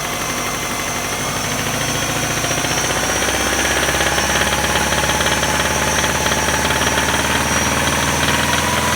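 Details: 1999 Subaru Outback 2.5L, 150,000 miles, held at 2k-3k rpm: hard regular knock about three or four a second over busy clatter, gradually louder over time; owner suspects rod knock, unconfirmed.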